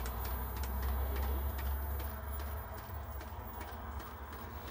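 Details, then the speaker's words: Philips VR2022 (V2000) video recorder in playback after mains suppressor capacitor replacement: soft ticking about four times a second over low mains hum, the take-up spool jerking unevenly, possibly affecting the picture; cause suspected, not confirmed. "right that jumping is the take-up spool you can hear it making that sort of jumpy noise and i think that's probably got a bit of a bearing on this picture as well"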